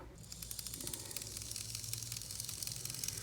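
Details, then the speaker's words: 1980s Bachmann pancake-drive model locomotive on bench test after cleaning and brush refit: small motor whirs with fast sharp clicks, about three or four a second, from cracked gears. "hear that groovy clicking sound that's them broken gears thank you Bachman"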